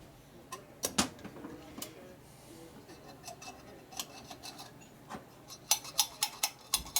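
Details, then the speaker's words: Linkert M35 carburetor being rebuilt for a 1940-47 Harley FL 74ci Knucklehead, low speed circuit opened up: throttle worked and released snaps shut with sharp crisp clicks, closing firmly; return action healthy. "So you hear it close nice and firmly, that's good."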